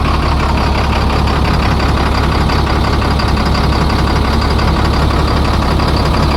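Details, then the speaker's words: International 4400 DT466 diesel truck that sat over winter: loud idle with steady clatter but sagging rhythm, idle dropping plus a noise; failing water pump found, possibly also low coolant. "Well, that isn't good. It's the idle's dropping down. And we got a noise."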